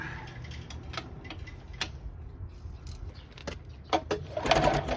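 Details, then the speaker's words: 1984 Johnson 25 HP outboard, hot after running, plug out: quick uneven chatter as it turns over, never catching; sparking strong but won't restart, not overheating; owner doubts flooding or vapor lock, suspects carb/fuel; unconfirmed. "Sparking strong, but it won't restart."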